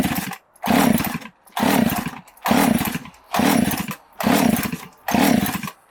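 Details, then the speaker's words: Chainsaw (likely a 372) with carburetor jets opened all the way, brake cleaner sprayed around the clutch side: revs climb and drop in surges about once a second, never holding steady. Owner suspects an air leak at the base gasket or crank seals. "you could hear it starting to rev way up the jets on this carburetor are cranked all the way open just so that it won't rev it and you know potentially damage something"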